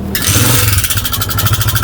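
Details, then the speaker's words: Honda CG 125 single-cylinder motorcycle with no engine oil found, starting and running with loud rapid metallic clatter over the exhaust beat from inside the engine; worn push rods suspected. "यह देखें bike के अंदर से बहुत ज्यादा शोर आ रहा है। तो भाई अब बाइक की साउंड आपने सुन ली है।"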